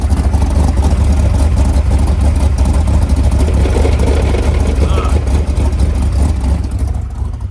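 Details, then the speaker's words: Car with Tremec TKX transmission after first-gear failure at the drag strip, engine running, clutch engaged, heard from below: heavy uneven low rumble and churning; transmission sounds badly damaged, possibly broken input shaft, cause suspected, not confirmed. "man that sounds bad so we're going to push it out and and take transmission out and see see if this uh the see if the trans is limp"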